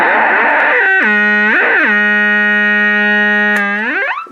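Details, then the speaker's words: Loud sliding howl settling into a steady shrill squeal from an HMV Little Nipper MK II valve radio, tested with a replacement output transformer wired straight to the speaker; the leads were probably swapped the wrong way round, causing feedback oscillation. "that sounds bloody awful you turn the volume off and uh start squealing so probably got these around the wrong way"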